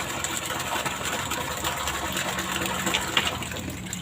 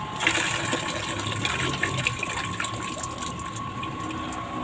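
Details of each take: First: artinya tadi kita dengarkan ada ada suara air turun kemudian ada gelembung udara artinya berarti air yang sudah terangkat di dalam pipa hisap ini kemudian begitu masih dimatikan air turun kembali Second: Water pump with enlarged suction chamber, primed until the priming water overflowed and cap tightened: steady pump hum with strong, even gushing water, no surging or sputter; primed and delivering full flow.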